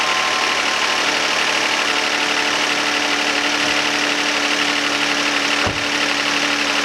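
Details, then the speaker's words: 2011 Hyundai Santa Fe 3.5L V6, start after fuel rail and oil pressure switch work: fast, loose lifter ticking about three per second from start-up onward as engine starves for oil. "You can hear at the beginning of the startup the engine starving for oil, and you can hear the lifters go absolutely nuts, and even afterwards."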